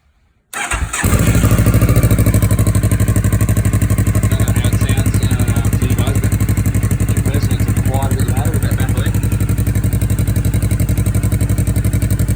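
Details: 2013 CFMoto 650NK twin with Musarri Black GT slip-on muffler, clamp bolt snapped and muffler held with foil: catches and settles into an even, deep thumping idle at about four pulses a second; healthy note.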